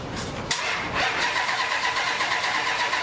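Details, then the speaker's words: 1954 International pickup on a Hemi Durango chassis, first start attempt: the starter cranks at about three beats a second but never fires. Owner suspects weak battery amps or a connection, something unplugged, or the security system; the fuel pump can be heard. "yeah I don't know what that particularly means that battery maybe that connection it's not enough amps"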